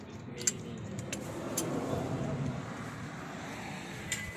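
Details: Engine after a valve adjustment with the cover closed, idling with a soft, even hum and no valve ticking; valvetrain sounds quiet and healthy.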